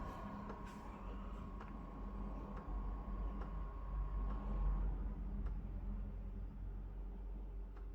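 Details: DIY test bench (Gamemax case, ASRock board, i7-3770, 8GB DDR3, SSD, 500W PSU) at first power-on; quiet low hum with a faint steady whine and light clicks as the fans spin up normally.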